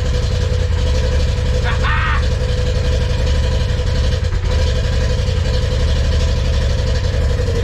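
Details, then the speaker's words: 2020 Polaris RZR Turbo S 4-seater, first start after Evo Stage 6 Dynomite 2.0 turbo kit install, oil primed, running 91 tune on mostly 110 fuel: steady, even low rumble, no knocks, ticks or misses; no leaks, motor sounds good; normal idle. "fuel injectors look good motor sounds good more coolant lines that all looks fine"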